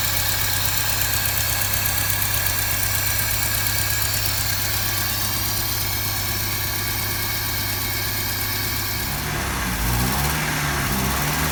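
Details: 1955 Land Rover Series One four-cylinder petrol engine, freshly rebuilt after about 50 years standing, first start-up with rebuilt or replaced SU fuel pump; steady, even low idle rumble with no knocks or misses, ticking over smoothly.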